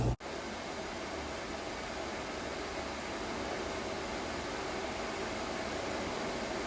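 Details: Commercial split-system air handler after replacing the evaporator blower motor, rusty blower wheel and weak capacitor (unit had been frozen): smooth, even rush of air with no ticking, scraping or wobble. Blower running normally.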